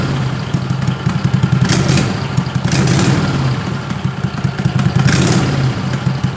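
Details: 20 HP Tecumseh twin with dual 34mm PVK carbs after needle clip moved to raise the needle: lumpy, uneven beat with thuds and stumbles as throttle eases from zero to half over 4–5 s. Slow pull sounded awful; owner suspects too rich.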